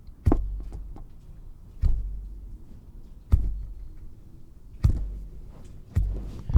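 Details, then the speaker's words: Ferrari Mondial timing belt, other side, plucked about every second and a half: a short, dull, low thrum with no slap or rattle. It twists 45 degrees with thumb and forefinger, not too much tension, so the belt is correctly tensioned. "if i just pull this side now okay and then listen for the slack listen to it that nice low note"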